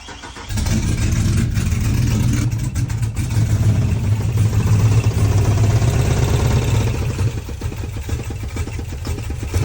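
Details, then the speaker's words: Chevy truck V8 with cam kit that suddenly sounded wrong after hard driving, valve covers off: cranks and catches, then low uneven rumble with irregular knocking tapping; abnormal engine noise, rockers, pushrods and springs later looked fine, source not found. "I think I'm going to start it up one last time see if the sound got a little bit louder or see if I can see anything not moving that's supposed to"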